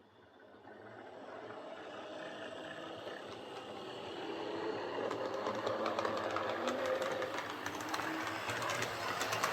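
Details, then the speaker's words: Airfix Class 31 model loco on the layout after the worm gear was tweaked to restrict armature end float: a soft, even motor hum with light rail clicks. Running well, much quieter than before. "So that's running really well. It's quite remarkable just how much quieter that is compared to what it was just by tweaking that worm gear just to, restrict the movement of the armature."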